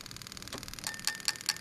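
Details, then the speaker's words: Lexus LS400 1996-97 engine harness built as plug and play into an IS200, tested on cranking: crisp, evenly spaced clicks about five per second; all eight injectors and the coils work normally. "and you can hear that clicking away all right so we're happy with that the coils are working all eight injectors are working as they should do"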